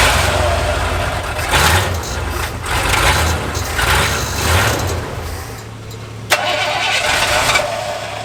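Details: Lifted bullnose Ford carbureted V8 truck, first start after sitting almost 4 years, carburetor just cleaned and rebuilt with new spacer and inline fuel filter: several cranking surges, then catches into a low, steady idle rumble; starts normally.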